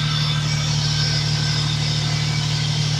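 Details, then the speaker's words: Toyota Corolla idling with the bonnet raised, heard up front: a steady, even low hum with no knocks, ticks or misses. The Magnaflow exhaust is loud at the rear but the engine bay is quiet; healthy idle. "So that's the car does get pretty loud. But up front, it's really quiet."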